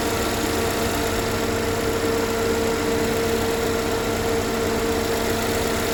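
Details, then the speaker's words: 2013 GMC Terrain after engine rebuild, first start-up: even, steady idle with constant hum and no knocks or ticks; no check engine light, timing appears correct, oil circulating, engine healthy. "the first start up it sounds fine no knocking timing no check engine light so the timing seem to be on oil's moving"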